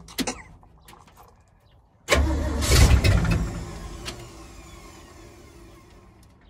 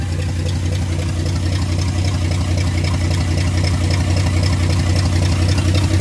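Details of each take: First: Freshly rebuilt carbureted truck engine, start after new fuel filter: starter catches, engine fires and holds a fast busy idle that never drops; idle control set too far, RPM too high, needs adjusting down. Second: Freshly rebuilt carbureted "Frankenstein" truck engine after moving the idle control forward to lower the too-high idle: a steady, even low idle with a smooth regular pulse and no hunting or misses. The idle is now correct.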